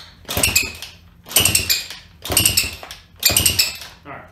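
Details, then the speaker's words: Horizontal-engine pit bike cranking after valve adjustment and a new spark plug: a high chirpy squeak in bursts about once a second as fuel gets through; the front exhaust gasket is leaking. "That squeaking noise is actually the exhaust gasket. I wasn't sure what it was at first. But once fuel starts getting through, it's leaking in the front here."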